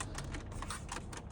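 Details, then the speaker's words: Audi A6 C8 while driving: rapid dry plastic ticks and creaks from front dashboard panel over low road rumble; dash trim squeak, to be fixed by removing and taping panel. "Но есть одна проблема вот это вот она очень комфортно но когда едешь вот эта панель Она просто вот скрипит на всю о слышите"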